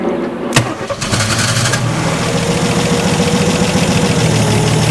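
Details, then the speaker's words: Abandoned 1961 Ford Falcon pulled from a graveyard: brief crank, then catches and runs unevenly with a lumpy, wavering idle near dying, acting fuel-starved; carburetor smoking, fuel filter suspected blocked or leaking. "Okay good yeah it sounds like it's it's acting like it's running out of fuel"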